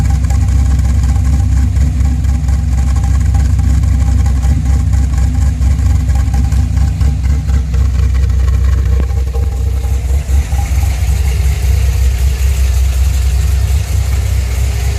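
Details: V8 at idle that has gone through two sets of Lunati high-speed lifters, one lifter failing within about 200 miles: light, quick tick over the low rumble, likely lifter tick.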